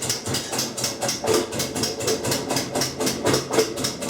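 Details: Kenmore 90 Series washer, model 110.26902691, during rinse cycle; sharp even clicks about four per second, room lights blink, washes fine, casing inspection found no broken or loose parts, cause not found.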